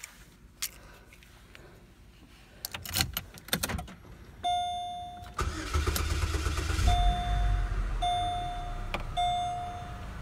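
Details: Car with a dead battery after fitting a new battery reading 12.46 V; a few clicks, quick crank, the engine catches promptly and settles into a steady even idle, a healthy start.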